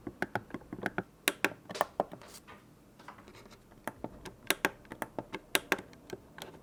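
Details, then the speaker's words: PS4 controller touchpad and thumbstick clicks compared: quick plastic button clicks in small bursts, the damped ones from official controllers, the louder, sharper clicking from the counterfeit Berry Blue controller. "the sound of the real controller is a bit damped while the fake one makes more of a clicking sound but better hear it for yourself"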